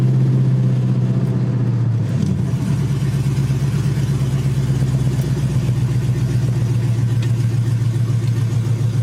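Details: 5.3 LS-swapped third-gen Pontiac Firebird starting after a new fuel system install (stainless sending unit, braided lines, inline filter), no pressure gauge fitted: catches about two seconds in, settles into a steady even idle, no misses or knocks; healthy.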